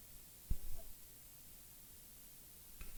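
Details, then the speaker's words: Two sharp relay clicks a few seconds apart in a quiet room; the set powers under voltage but shows no picture on screen, fault still unknown. "I can hear the relay clicking, but it's always under the voltage there. It's no picture on screen, and that's my problem."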